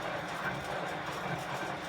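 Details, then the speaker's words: Bosch Classixx 6 Varioperfect washer after motor commutator and brush work, quick wash test; steady even motor hum with water swishing, no scraping or knocking; drum turns normally, though it later stopped turning on rinse. "hey it's turning excellent that's a success"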